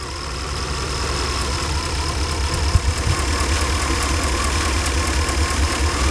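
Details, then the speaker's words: Small RV motorhome engine, warmed up to temperature: light steady ticking about three a second over a slightly uneven idle; origin unknown, spark plugs recently changed and suspected. "now that it's up to temperature there's that little ticking sound"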